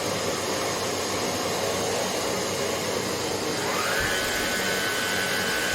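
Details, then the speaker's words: Hoover HL500PT vacuum after fix: steady airy motor roar, then a thin tone climbs and settles as brush roll spins up; even, healthy running, roller confirmed working. "you can see the roll that is spinning the ni is on perect that so that shows it's working it's good to go"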